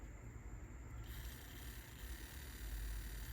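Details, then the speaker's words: Sony TC-KA3ES cassette deck (Japanese 100 V) motor powered on the bench at about 5.5–6 V: a faint hum, then a rough, gritty hiss as it spins up, extremely noisy. A little lubricant on the front bearing later silenced it. "Oh, this, I don't like how this motor sounds. It should not be doing this weird sound."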